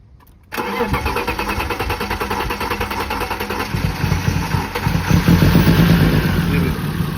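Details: BMW E36 won't start: starter churns steadily at about four pulses a second but the engine never catches or fires; cranks without starting.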